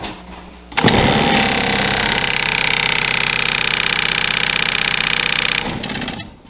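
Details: HVAC blower clamped in a vise with a large tie rod nut added to the wheel to mimic debris: harsh loud rattling buzz pulsing about four times a second for five seconds, then winding down; a heavily unbalanced blower shaking itself.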